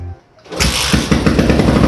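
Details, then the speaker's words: Old Yamaha Jupiter MX on a cold, rainy morning, hard to start: after a pause it catches and runs rough with uneven stumbling pulses; carburetor or fuel tap suspected. "ini agak susah hidup ya teman-teman"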